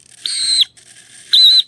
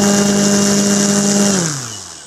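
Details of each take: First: Savox 1256 servo in a Nexa Fokker D-7 RC plane, new but stored for years, gives two short high piercing squeals each swing; servo motor bushing dried out from sitting, needs a drop of oil. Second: Nexa Fokker D-7 RC plane electric motor at full throttle on higher-voltage SMC batteries with a higher-pitch prop; strong steady whine and prop roar, then smooth wind-down; 43 A, 1048 W, slightly less than the previous prop; normal run-up.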